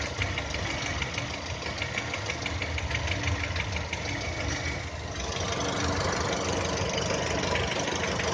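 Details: 2010 VW Touran 1.6 BSE warming after two days parked: fast light ticking about three per second starts as idle revs fall below 1000, easing as it warms, gone above 1000; seems left side. Rebuilt just over 15,000 ago: new pistons, valves, hydraulic lifters, bored block.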